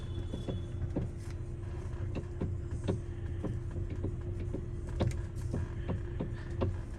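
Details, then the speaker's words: 2014 Hyundai i30 with electric power steering, engine idling. Irregular sharp knocks, about a dozen in seven seconds, sound as the wheel is turned. A previous mechanic already replaced the column coupling bushing; the noise resembles that bushing, but the cause is not confirmed. "Bom, já deu para ouvir aí o barulho, né? Então, esse barulho realmente é muito parecido com o da bucha da coluna, tá?"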